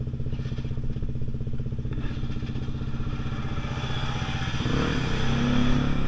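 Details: Pulse Force 50cc two-stroke road test after fuel-starvation fix, GoPro on bike, 14-stone rider, hitting 37 mph and still picking up. Crisp, even crackle climbing cleanly in pitch as throttle opens, no bogging; normal acceleration.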